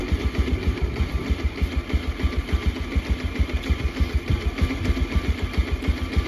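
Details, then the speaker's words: Bajaj Pulsar 125 BS6 with P2109 throttle position sensor fault, stalling repeatedly: slow, lumpy single-cylinder idle, uneven thumps about three a second, sagging as if to stall; idle about 700–800 rpm, too low. "RPM जो है minimum अभी 800 700 के करीब में यह दिखा रहा है बहुत ही कम आरपीएम है"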